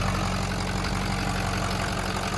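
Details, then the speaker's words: Ford 6.0 diesel truck with about 250k miles, ruptured oil cooler, codes suggesting glow plug control module and number 7 injector issues; low, steady diesel idle with even beat, no miss or knock, runs pretty good, probably drivable. "You could probably drive it. I mean, listen to it. It seems to run pretty good."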